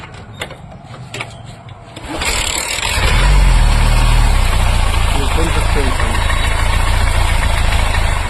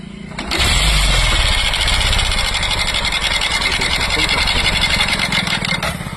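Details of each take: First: Bajaj Platina after timing chain work where the mechanic lost a washer, now refitted: engine catches after a couple of seconds and settles into a steady, even single-cylinder idle; runs normally. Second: Bajaj Platina two days after a timing chain job. It idles quickly with a light, busy mechanical clatter; the mechanic had left out the timing chain washer, which is then fitted.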